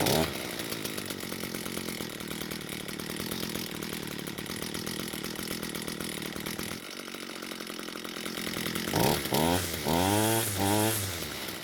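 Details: Echo SRM 230 two-stroke string trimmer after repair (bad ignition coil wrongly replaced, then corrected; new carburetor fitted): steady high buzzing with even firing, then quick throttle blips that climb and fall cleanly; runs healthy.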